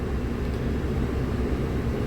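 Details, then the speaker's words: 2013-19 Nissan Sentra interior heater blower motor stuck on high, running constantly and won't shut off: steady even rush of air with a low hum that never changes; cause deduced by owner, not confirmed. "as you can hear in the background there's going to be a blower motor that is constantly active on this particular"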